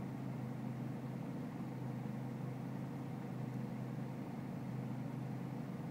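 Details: BMW E46 320cd diesel, cold with low engine and outside temperature, idling with an uneven, lumpy beat under steady clatter; rough idle, cause not pinned down while battery voltage, air-mass and selective mass adjustment are checked in INPA.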